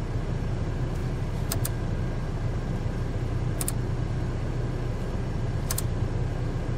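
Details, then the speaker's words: Dacia engine at idle after replacing the alternator pulley, whose faulty one-way clutch bearing had caused idle vibration; steady, even idle with light clicks as headlights switch on/off to load the alternator, no rattle or vibration, belt drive healthy. "silniczek gdzieś za tylko mruczy tak jak teraz nie słuchasz tych drgań także wymiana pomogła jest okej"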